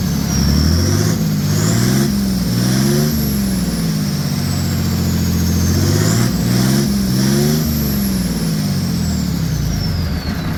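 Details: Mercedes OM603 diesel in a Ford Ranger (Doomsday Diesel adapter, ZF5 transmission), after first start and brief warm-up, good oil pressure: climbs smoothly through two rev blips and settles cleanly, no knocks or misses; healthy engine.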